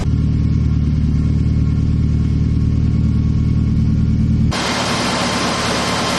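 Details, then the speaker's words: Turbo Mazda Miata idling after fixing exhaust cam timing one tooth off and cam/crank seal oil leaks: steady, even, clean idle, no misses; air-fuel ratio now 13.3 versus about 10 before. "Oh yeah. I want to point out now that it's at 13.3 and before it was idling at like 10. So the air fuels might actually be pretty close now that the timing is good."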